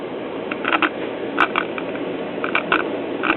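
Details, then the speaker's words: 1975 Voice of Music 270AV four-speed solid-state classroom record player, first power-up, untested: steady amplifier hiss with scattered crackles, power light on, no signal from needle (also bad); no cartridge signal due to broken tonearm wires. "Well, I'm hearing some amplifier action. The power light comes [Music] on. Getting nothing from the needle."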